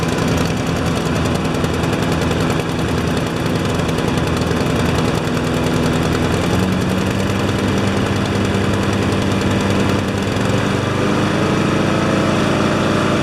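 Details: Honda mowers with automatic choke, running before their tune-up (one on an MTD frame): a steady, fast, even buzz with no surging, wobble or rattle; running smoothly, no vibration, blades balanced.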